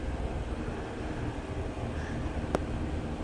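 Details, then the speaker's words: 50-ton Carrier air-cooled chiller running with all fans on and not all compressor stages on; low, even rumble of fans and compressor, no knocks or rattles, one faint click; quiet, healthy normal running. "Yeah, that's a 50-ton unit. Granted, not all stages compressor on, but all those fans are running. See how quiet that thing is."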